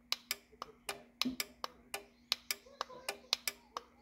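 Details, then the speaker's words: Automatic Doorman 455 garage opener on Chamberlain T-rail with a roughly 3-year-old Multicode 1090 receiver and 389 remote: sharp relay clicks at each button press but the motor never runs; receiver suspected bad, as it previously worked on this opener. "the receiver clicks but nothing runs so I think this receiver is bad because I have used this receiver on this opener before and it's worked perfectly fine"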